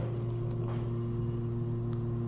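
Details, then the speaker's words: KONE/MCE hydraulic elevator climbing: steady low hum with strong low-pitched drone and vibration under the car, slow startup; pump sounds laboured, owner suspects low on oil. "This leveling, though. Almost sounds like it's struggling to go up. I feel like it's low on oil."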